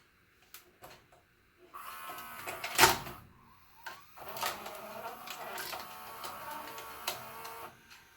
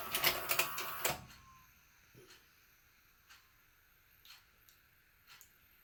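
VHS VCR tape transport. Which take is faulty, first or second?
first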